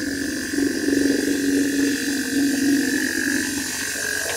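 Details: Fiat Ducato camper van, newly installed On-Air suspension compressor powered from the vehicle battery with the engine running, first test before final mounting: steady electric hum, mid-pitched tone and faint higher whine, engine noise behind; air suspension compressor running.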